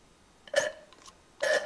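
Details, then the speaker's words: Yamaha RD400 fork leg, spring removed and fork fully compressed, oil level being set to 117 mm with a level tool: two short wet slurps as the tool draws air, not oil. Oil level low, so it is topped up. "You hear that? So we're light. So let's top her up."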